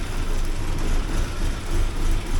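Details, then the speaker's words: 1979 Porsche 924 after timing belt fix, cold start: low idle swelling and dipping about every second, stalls if throttled; uneven until warm. "starts up properly it runs like you can hear how well it's running here now until this thing here warms up a bit once that warms up a bit then it'll uh smooth out the idle and everything"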